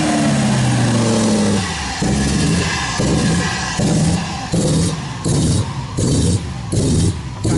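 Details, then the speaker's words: Cold idle: loud lumpy idle surging and dipping about once a second, cam-like lope, then levels out; idle control valve said to stick when cold. "icv valve when it's cold it gets stuck so I'm just like it just sounds like ter retardation you just accept it"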